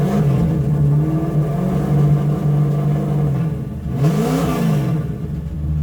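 Engine idles evenly, then picks up briskly to about 3000 and drops back cleanly; throttle response is crisp and healthy.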